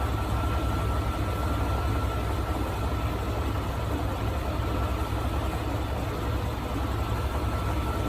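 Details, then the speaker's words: Engine idling while warming up for a combustion-gas block test; rough idle with a dull, uneven low knock under the firing beat, about two per second, a rod knock; tech checking whether overheating or a blown head gasket caused it. "but this one is a little leery because it's got a rod knock we're just trying to determine why it has a rod not did it overheat or blow a head gasket is that why it's knocking"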